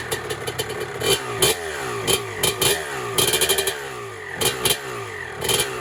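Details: 1996 Honda CR250 two-stroke dirt bike, first start on day one of a build, 93-octane pump gas, choke off: crisp blips climbing and dropping cleanly, loud raspy exhaust from a cracked pipe; runs healthy.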